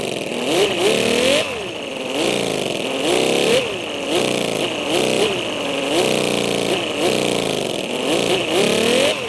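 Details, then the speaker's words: Mini V12 model engine after dyno runs, suspected damaged and overheating; revs surge and sag unevenly about every second, weak train-like chuffing suggesting low compression before teardown. "definitely sounds like some compression issues sounds like a train engine or something"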